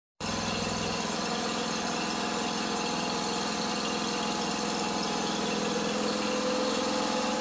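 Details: Kohler CV25S twin on an older Ferris mower, reassembled after valve covers, rockers and a lifter had been taken apart. It starts straight up and settles into a smooth, even purr with no misses, knocks or hunting, so it is running healthy.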